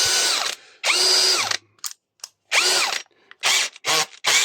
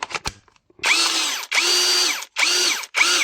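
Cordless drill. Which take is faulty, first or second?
second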